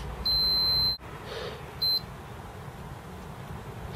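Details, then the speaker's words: Acorn Archimedes A3010 board, continuity test near the diode and chip that feed 5 V to VCC: a long steady high beep, then a short second one; a dead short is found, the suspected fault, and the part is to be replaced. "the interesting thing is from there we've got Derek short but here we don't so it's a bit odd though actually equipped sure there but not there anyway I'm sure that's the problem"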